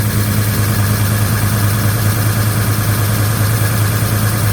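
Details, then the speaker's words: 1956 Chevy Bel Air with a Chevy 307 V8 and a new Holley 4150, at first start with timing advanced and idle raised: a loud, busy clatter over the idle rumble, loudest at the back. Noisy valve train, owner may check valve lash. "but that valve train sounds loud. Loud, loud, loud, loud. That's unusual. I don't know why the val train's so loud."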